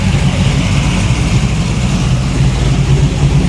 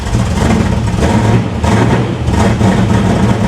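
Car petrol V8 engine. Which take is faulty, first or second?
second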